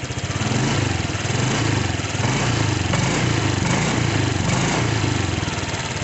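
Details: Honda Vario 125/150 scooter after replacing the spark plug cap that caused hesitation: steady, even putter with no stumbles or surging; idles smoothly, back to normal.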